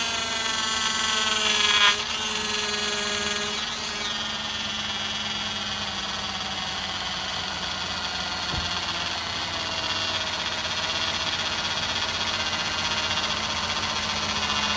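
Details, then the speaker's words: 2007 Cadillac DTS, newly replaced power steering pump while bleeding: steady high buzzy whine over idle from air in the system, easing slightly as it runs. "Okay, at this point, we add fluid till it quiets down, because we've got the fluid in the system."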